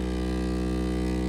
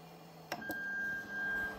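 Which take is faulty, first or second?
first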